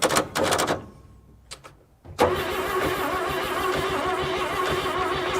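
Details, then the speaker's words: 1957 Chevy 210 that sat 50–60 years, starter jumped at the solenoid due to a bad ignition wire: engine cranks steadily at about four turns a second but never catches; cranks, no start. "Falling? Yeah. Nice. She is at least turning over."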